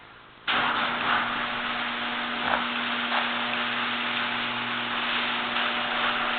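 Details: Genie screw-drive garage door opener after greasing the hinges, screw drive and spring and moving the pull bar back: motor kicks on and drones steadily with an even hum, no grinding or squeal. It used to make noise and now runs smooth.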